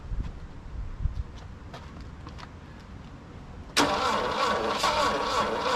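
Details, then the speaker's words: Saab Sonett III, last on the road in 2012 and left sitting in mud, spark plug gaps reduced for suspected weak ignition: slow uneven cranking with scattered pops as two cylinders fire, but it never runs. "almost wanting to go you know like almost I saw I heard two cylinders fire that time"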